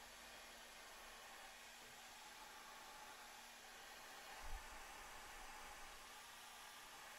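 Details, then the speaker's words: Stock rear power supply fan from a Snapmaker, run on the bench at 24 V out of its enclosure: constant airy rush with faint steady low hum; loud fan with annoying whine, being replaced by quieter fan. "pretty loud it's got a bit of an annoying wine to it"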